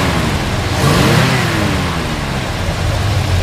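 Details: 1972 Chevrolet Chevelle SS 350 V8 revved; a deep burble swells smoothly and settles with no ticking or puffing. The exhaust leak, thought to be at a collector, is only heard on a cold start and is not heard here.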